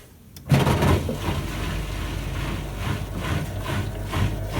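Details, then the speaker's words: Bosch/Siemens washing machine after E18 no-drain fault fixed by cleaning the drain pump filter, tested in spin mode: a click, then the drain pump hums steadily with water swish, pumping out normally. "now you can hear the pump is going again here something this means that you've been successful so now it's pumping out the water as it should"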